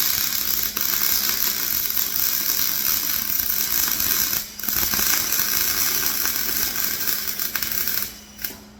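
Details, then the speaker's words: MIG welding a flatbed for a 2006 short box Ford F-250 after turning wire speed up: steady, crisp crackling sizzle with brief breaks; wire feed and arc well matched, much better, normal weld. "Much better."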